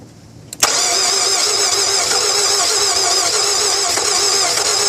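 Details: 2002 Nissan Altima won't start after battery change: starter whirs steadily about three turns a second but the engine never catches.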